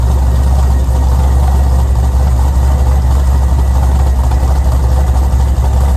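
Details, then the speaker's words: Pontiac G8 V8 idles before engine removal to replace a destroyed Circle D torque converter with worn lockup clutches. Deep, even rumble with no knocks, ticks or misses; healthy engine. "Before we yank that motor out, we're gonna go ahead and start it up one last time just to see how beautiful she sounds."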